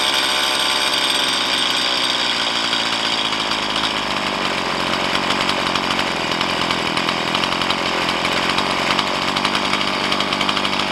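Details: Stihl MS170 chainsaw with 16-inch bar, upgraded with Farmertec parts, after setting idle mixture and idle speed: steady high-pitched buzz holding without stumbling; normal idle.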